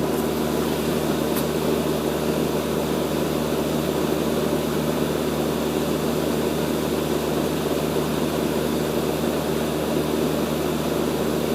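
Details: Rheem Imperial 80 Plus air conditioner condenser at startup, recorded with an iPad placed on the line set while a nearby Bryant unit also runs; steady fan whoosh over smooth compressor hum, no knocks or rattles; normal running.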